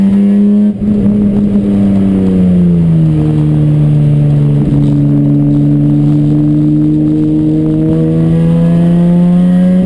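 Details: Chumpcar race car on track at Watkins Glen, where the misfire began midday Saturday. At full throttle the engine note wavers, sags and climbs again, not running clean: misfire under load, cause unknown.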